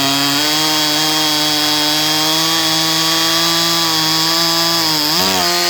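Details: Holzfforma G255 chainsaw (MS 250 clone) after carburettor tuning, cutting a good-size maple: steady high-pitched two-stroke scream holding even revs, with a brief dip and recovery near the end; running well.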